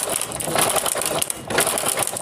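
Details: Honda CD70 being kick-started: a fast metallic clatter with each kick. The timing chain is very loose because the tensioner rod has failed, and the sprocket teeth are worn.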